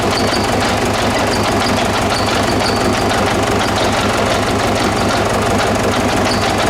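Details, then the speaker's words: 2009–2010 Ford Ranger (Mazda BT-50) 3.0 L common-rail turbo diesel, started on spray, idling during an injector-unplug test: clattery, uneven, lumpy beat; number 1 cylinder found not contributing. "So I'll just turn the car off. So we got our number 1 cylinder not working."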